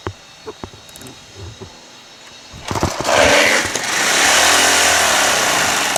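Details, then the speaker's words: Pressure washer small engine with linkage caught: catches after a few seconds and runs loud and harsh; owner suspects low oil and the pump, and a cylinder head bolt was found stripped out. "it almost seems like it's not it doesn't have enough Earl you know and I'm not too sure about the pump either"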